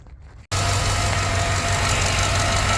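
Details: 2007 GMC Yukon XL 5.3 V8 after replacing the oil pressure sensor and filter, lifters previously done: fires instantly and settles into a smooth, even idle with no knocks or ticks; healthy.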